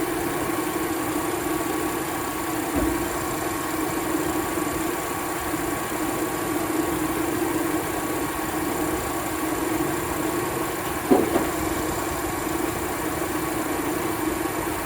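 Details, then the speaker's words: 2004 Jeep Liberty after alternator work, belt refitted and regulator plugged back in: smooth even idle with steady hum, no knocks, misses or whine; charging checked at about 14.7 V; normal running. "go ahead and put the belt back on it which I'm going to do now that's it done deal all right M start it up you're done everything looks good"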